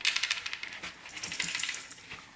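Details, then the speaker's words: Welded modern MTB rim spun: sharp metallic rattling clicks, an extreme case of rim rattle caused by the internal rim sleeve at the weld coming loose; harmless to ride, fixable. "okay this is a quite an extreme case of rattling uh it's not specific to a manufacturer actually if you look on on stand's website you're going to find an explanation of how uh the sleeve that's in the rim in here becomes loose"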